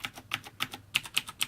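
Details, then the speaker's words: Corsair K70 keyboard with Cherry MX Blue switches, a few weeks old: run of crisp key clicks and one dull clickless clunk from the broken Caps Lock switch; cause unclear. "This does actually have a broken key on, broken switch on it, on the caps lock, as you can hear that just clunks into place, whereas the other ones will click."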